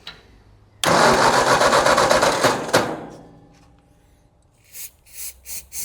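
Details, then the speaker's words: Tractor that sat in a field for ten years, with spark confirmed and only starting fluid and no fuel system hooked up; about two seconds of even cranking with a few weak catches; cranks but won't start. "Just for giggles, before I hook up any kind of fuel system, temporarily, I just want to see if this thing will bark over. It's a little starting fluid, not going to hurt it for the few seconds. I'm going to just crank it."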